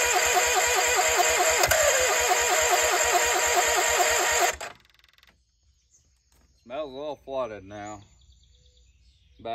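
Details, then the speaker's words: Case 1816C skid steer that sat 10+ years in a barn, just reassembled with the flywheel back on: even starter cranking about four beats a second without catching. It has fired a couple of times, and a battery charger is being added for cranking. "hey we've made progress to try to fire a couple times so I'm gonna grab the battery charger put it on there just to maintain the battery while cranking"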